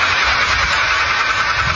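A running engine with a harsh, rough metallic rumble and rattle instead of a smooth hum, pointing to worn engine bearings.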